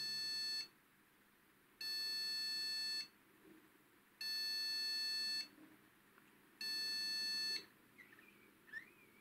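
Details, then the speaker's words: Gigabyte GA-H110-D3A PC that keeps rebooting with black screen: speaker repeats long buzzy beeps about every two and a half seconds, memory error; fixed by buying new RAM. "Вот собственно В чём была причина долгая короче прыгал пока спикер не Вставил в итоге оказалось что вся причина у нас в оперативке"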